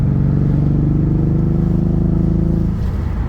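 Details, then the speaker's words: Nissan 350Z, 50,000 original miles, on test drive after seller cleared codes: check engine light came on; low lumpy stumbling pulse about four beats a second, bad misfire, cause not traced. "A few minutes into the test drive, the check engine light came on and the car started misfiring. This misfire is terrible."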